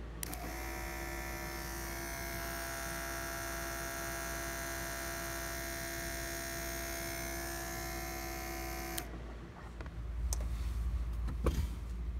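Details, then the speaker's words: Electric vacuum pump with added check valve restoring power brakes on a Kubota diesel-swapped Honda Insight: even hum for about nine seconds, then clean shutoff; booster holds vacuum for three pedal pumps, working normally. "yep it works exactly as expected we have power brakes with the pump not running"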